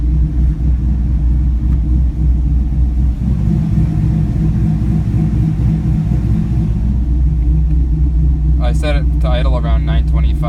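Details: 2004 Chevy Colorado with a swapped 5.3L V8 and Texas Speed stage 4 cam (223/226, .600/.600, 111 LSA), warm, after retuning airflow, timing and idle: deep, steady rumble with a loping beat, no longer stalling.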